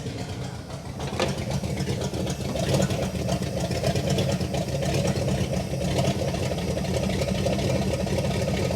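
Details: 1960 Pontiac Catalina 389 V8, first run after sitting since 1985, fed from a boat tank: steady, even low rumble with a smooth regular firing beat, no knocks or misses; healthy idle, no fuel leaks, exhaust sounds good.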